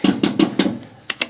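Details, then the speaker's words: Vintage Willys Jeep front axle converted from fixed drive flanges to manual locking hubs, with a front locker; wheel raised. Hub turned to 4WD, and turning the wheel by hand gives four quick sharp clicks then two more, normal locker ratcheting with no grinding. "Quick turn to 4-wheel drive, and it's now locked in. You can hear my locker clicking."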